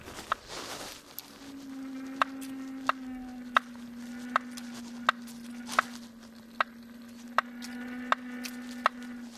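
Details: Kingsong S22 electric unicycle, second (new) replacement motor: a sharp, regular knock roughly every 0.7 seconds over a steady low hub-motor hum, cause unknown. Hub motor knocking.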